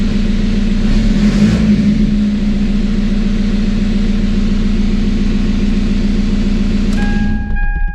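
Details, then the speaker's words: TDI diesel swapped into Toyota Tacoma, first start after engine and wiring work, no coolant in it: diesel settles into steady even idle with firm low hum, no knocks or misses; sounds healthy. "so so so excited everything sounds really healthy i'm not trying to run it too long right now especially because there's no coolant in it"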